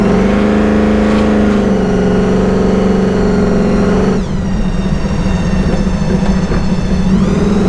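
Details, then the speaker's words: 1953 Willys Aero Falcon gasser dragster with supercharged engine: clear steady blower whine over the engine, climbing in pitch as throttle opens; normal supercharger whine. "You guys hear that whine sound? That whine sound is actually the blower. So when he steps on it, the blower actually is sucking in more air to force it into the engine."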